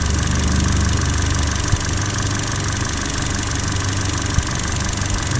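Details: Petrol engine at idle: low rumble broken by sharp stumbles from an intermittent misfire, traced via coil current and secondary ignition waveforms to excessive spark plug gap.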